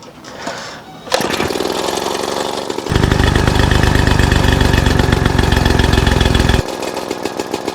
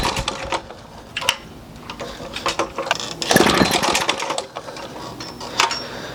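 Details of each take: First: 1936 Johnson Seahorse 200 outboard after fuel mixture screw adjusted about one turn: after a short start, steady even buzzing beat for several seconds with no misses; running normally. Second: 1936 Johnson Seahorse 200 outboard, sat about 10 months, on choke, pull-started with throttle wide open: uneven bursts of firing dying within seconds; has spark but starves, not drawing its own fuel.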